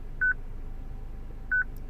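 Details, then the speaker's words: 2006 Citroen C3 petrol with a used replacement radio: a short high electronic beep about every 1.3 seconds in a quiet cabin. The radio's stored VIN differs from the car's, so it is security-locked. "Ah, it's a different one. So that is why this beep is happening."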